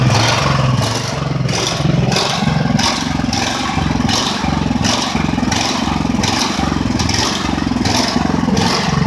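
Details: Ridgid generator with Honda GX390 engine, after repairs, running several minutes: speed rises and falls about every two-thirds of a second. Owner suspects a badly refitted choke-lever plate. Engine hunting, cause unconfirmed.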